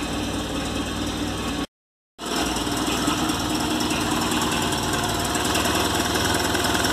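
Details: VW Golf Mk3 single-point injection (monoponto) petrol engine idling roughly with uneven, stumbling misfire pulses; faulty idle air control actuator blamed, replacement DPL 808601 shown.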